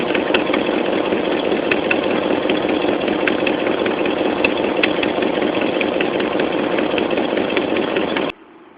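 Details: Dodge Dakota 4.7L V8 idling with a sharp, fairly quick tick on the right side from a leaking exhaust manifold; replacing the manifold gaskets with new bolts cured it.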